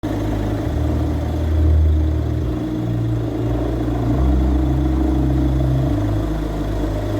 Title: Alternator pulley clutch noise